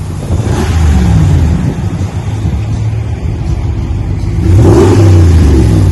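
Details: 2020 Ram 1500 Big Horn with a new single chamber V-tube muffler, 5-inch black tips, resonators kept, stock front and factory cats. Deep throaty rumble through two throttle blips, even and free of rattles. Normal exhaust note.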